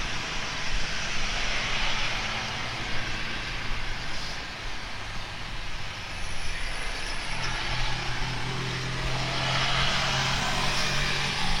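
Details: Speedybee Mario 5 DC FPV drone, Axisflying 2207.5 1960KV motors, T-Motor 5146 three-blade props, on 4S lithium-ion battery, fast flight after repairing stuttering motors: steady high buzz rising and falling with throttle over wind, no stutter or dropouts; normal.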